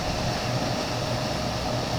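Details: Whirlpool dryer after replacing a broken blower wheel and clearing a lint-clogged vent, heard at the outside vent: steady, even rush of air with a low hum underneath, the flap opening normally.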